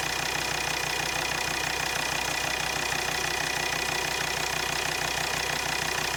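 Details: Volvo XC60 D5 diesel at idle: sharp, regular tick about three times a second over the clatter; injectors measured near 0.3 ohm against a minimum of about 0.4–0.5, faulty injectors.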